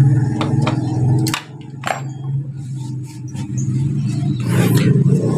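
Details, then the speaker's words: Honda Beat injection scooter starter motor, removed from the bike, with a complaint of a rough "ngek" noise when starting. It gives a steady, low, coarse drone with uneven scraping. The end bushing is dirty and dry; fixed by greasing it. "berbunyi karena Di sini kering ya di dalam sini kering jadi cukup kita lumasi di bagian sini menggunakan gemuk ya"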